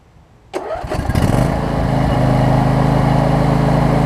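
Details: Husqvarna YTA24V48 riding mower, three years old (made December 2016), 61 hours, after an oil change; cranks briefly, catches at once and settles into a steady, even low-pitched run with no knocks or misses; healthy engine.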